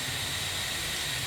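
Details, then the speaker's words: IPR valve bench-tested with about 12–13.8 V applied: steady airy hiss of air flow stays completely constant under power, solenoid barely moves; valve should close off and open with power, so IPR valve judged bad. "you'll note that there's absolutely no change with this air here so my assumption is that I have got a bad I PR valve"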